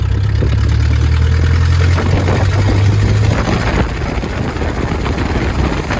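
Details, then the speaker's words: Old Nissan Pathfinder, 207,000 miles, while driving after something went bang: a loud, deep, rough pulsing exhaust roar. The exhaust is suspected split, location unknown, hoped to be the back box. "I think my exhaust is broken, guys."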